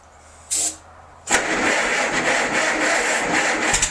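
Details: Massey Harris 44 tractor stored for 10 years, with new points and a freed stuck intake valve, already run earlier that day, started after a shot of starting fluid: a click, a brief crank, then a steady, even idle; starts and runs normally.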